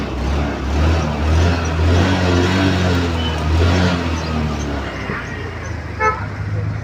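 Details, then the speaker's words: Honda Activa 6G BS6 after fixing the self-start fault: scooter fires up and settles into a steady, even idle with a couple of short horn toots; runs clean with no misses. "அவ்வளவுதான் friends வண்டி ready ஆயிடுச்சு இப்ப நம்ம start பண்ணி பார்க்கிறோம்"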